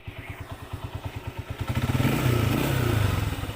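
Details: Honda CG 125 single-cylinder engine after repair: crisp even thumps at about four per second, picking up smoothly as the throttle opens, no clatter; the engine runs normally.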